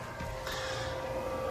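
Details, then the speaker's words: Fiat Ducato 6x2 ex-disability bus, diesel night heater just switched on at its control switch. Steady rushing blower with a fixed hum underneath, even and unbroken as the heater kicks in; normal heater operation. "And those little 3 lines there means the night heater will come on. And as you can hear, straight away she's kicking in."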